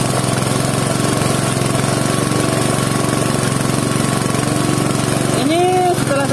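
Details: Air compressor after a new valve spring and a repair of leaks at the breather and intake path, filling a tank that started empty. A steady, fast pumping thump at a constant pace, even and unbroken, with no hiss of leakage; it runs normally.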